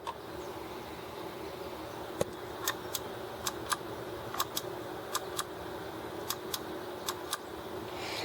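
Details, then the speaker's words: Emerson TPX-55 transistor radio, probably Sanyo-made, after oiling the dry, friction-bound sliding mechanism of the power switch: six crisp on-off click pairs, each a clean positive snap; the switch now latches properly. "it has a nice latching action right now should be good for many years to come"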